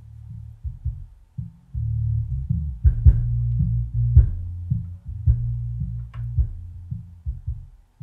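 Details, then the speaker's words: Miller and Kreisel MX-125 Series II subwoofer, 24+ years old, loud thumping complaint, after capacitor replacement and deoxidizing bass level and crossover controls, driving small six-inch speakers: clean even bass, no thumping, crackle or dropouts; video lights rattle; playing normally. "after some deoxide this thing is working absolutely perfectly once again remember i only have little six inch speakers connected to this but it is shaking the video lights that's the rattling that you hear this thing's got a lot of punch that is definitely for sure"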